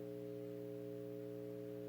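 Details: 1928 Stewart Warner 801b TRF radio on first power-up with tubes lit: steady low buzzy hum with even overtones and constant level from the speaker; owner suspects weak tubes; hum from speaker.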